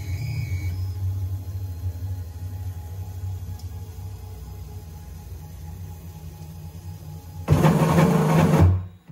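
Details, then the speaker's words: Onefinity CNC restarted with the router away from home position and not homed, so the axis runs to the end of the rail: quiet running, then over a second of loud harsh buzzing and grinding as it stalls; CNC axis grinding at end of travel. "here's what will happen if you don't home your machine and it's going to go to the end of the rail"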